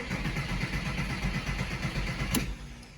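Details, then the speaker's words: Porsche Boxster 986 after fuel filter replacement, cranking out of gear: starter churns the engine in an even chug for a few seconds without catching; fuel lines still empty and need to fill. "It's alright. Gotta fill those lines up with fuel."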